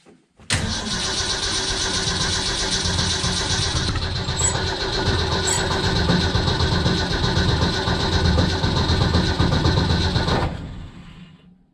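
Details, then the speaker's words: 1965 Ford Econoline van stored since 2011, probably points ignition: starter cranks steadily about four turns a second for some ten seconds with no firing at all. Owner suspects no spark, also checking fuel pump. Cause suspected, not confirmed. "oh I feel like we probably don't have spark disappointing"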